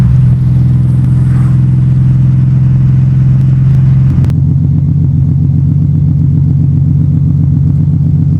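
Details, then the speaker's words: Nissan 300ZX Z32 (VG30DE) with a reworked exhaust, after resetting the TPS and swapping ECUs: steady deep exhaust rumble settling into an even regular pulse, no misfire or stumble; runs fine and sounds far better than before. "So we reset the TPS, swapped out ECUs, and this is what it sounds like now. Way better than it used to sound."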